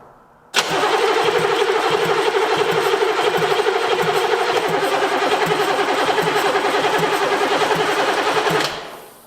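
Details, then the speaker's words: 1981 Buick Century diesel, sat about 12 years, glow plugs cycled: about four even starter beats a second for eight seconds with no catch; cranks freely but won't start, a little smoke suggesting maybe one cylinder trying. "Now remember, this has been sitting for 12 years, so it would not start in most case scenarios, but it is a diesel."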